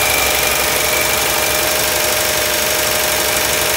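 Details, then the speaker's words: 1961 Chevy Apache stepside truck, engine before LS swap, cold startup: even steady idle with faint tick about three beats a second and thin high whine; normal cold idle. "This is an engine startup, cold engine startup, and here in a little bit, you'll hear the engine run."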